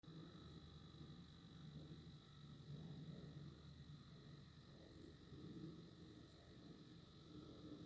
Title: New Nintendo Switch fan making noise, can't be normal